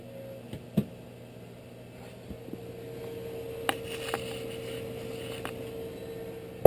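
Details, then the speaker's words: Whitfield pellet stove after auger service, thermostat calling for heat, running in slow mode. Quiet, steady blower hum with a few light clicks as feeding kicks in. Normal operation. "so you can hear right now she's in slow mode she is barely running but you'll hear a click she kicks in"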